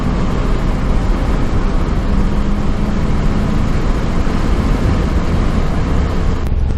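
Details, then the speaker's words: 1991 C4 Corvette after replacing TPS and idle control valve, driving under hard acceleration: strong steady engine roar over road noise, no stumble or power dip; pulls cleanly, owner unsure if much different from before. "She definitely has the power, though, I can tell you that much. She definitely has the power."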